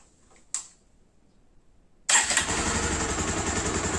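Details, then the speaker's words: 2016 Bajaj Pulsar 150 single-cylinder motorcycle after timing chain replacement for an engine noise complaint: quick start into a steady, even idle with no ticking, rattle or variation; sounds healthy. "பார்த்தீங்களா ரொம்ப அருமையா இருக்கு வண்டி சவுண்ட்ன்றது எதுவுமே இல்லை பிரளும் இல்லை"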